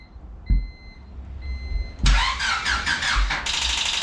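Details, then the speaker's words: Turbocharged Honda Civic D16Y7 (1.6L SOHC non-VTEC): first start attempt after the oil pan gasket and turbo install, on stock ECU. A warning chime, then a few labored cranking bursts fade without firing; no-start from a battery too flat to crank. "battery died all right take two"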